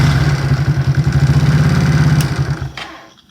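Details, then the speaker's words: Supercharged NOS postie motorbike with the blower pulley changed from 3-1 to 4-1 and a flat slide carburetor: catches at once into a lively single-cylinder beat with crisp throttle, then winds down cleanly. Normal, eager start, though idle had surged earlier. "there's in my mind a way that motorbikes should come to life when they start so this is the sound of a of a eager motorbike listen"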